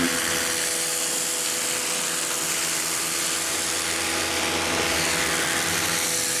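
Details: Campbell-Hausfeld 1800 PSI electric pressure washer, model PW1835, universal motor: steady high buzzing whine at an even pitch with no surging or grinding. Running normally, though pressure feels weaker than rated.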